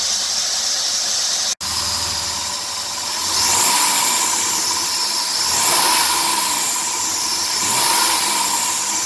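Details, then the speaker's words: 2003 Dodge Grand Caravan 3.3L, 372,528 miles, idler, tensioner pulley and power steering pump already replaced: high hissy chirp swells on revving toward 2000 rpm and stops when sprayed with water; drive belt suspected. "okay once again i'm going to spray it and the noise is going to disappear see how it quiets down this is weird it stops when i spray it with water"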